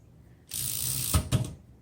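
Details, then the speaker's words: 1913 Royal 5 typewriter: a fast rasping run of clicks for about a second, ending in two clacks, as the carriage blows straight through the set tab stops without catching. Tab stop not working. "This should be your tabs, but I'm not sure the tab stop is working completely. Yeah, so it's just blowing through the tabs. You can hear it click as it goes through."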